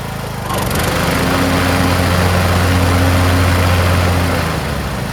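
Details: Craftsman T1600 (T600) 46" lawn tractor, Briggs 19hp single-cylinder, after cylinder head and head gasket replacement, mowing lawn: steady even drone holding pitch, no knock, miss or surging; runs like new; normal running under load.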